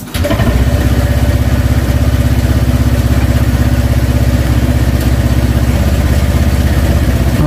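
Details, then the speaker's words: Honda Vario Techno 125 (bulb headlight) with misfire, weak cold running, heavy fuel use and black plug; restarted idle is a soft, slightly uneven chug, weak and near stalling. "Oke, ini agak melemah sudah, di ACT-nya nutup. Nah, sepertinya mau sinjal, mau mati juga nih."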